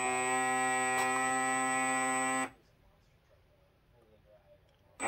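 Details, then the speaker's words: Pro Boat Recoil 17 RC boat on a Spektrum STX2 radio, with the remote untouched. A steady buzzing motor drone runs about two seconds, cuts out, then restarts on its own. The owner suspects the receiver, which had corrosion treatment: motor running uncommanded. "oh look i'm not even touching the remote did you hear it oh i didn't touch it see that it's just coming on you see that"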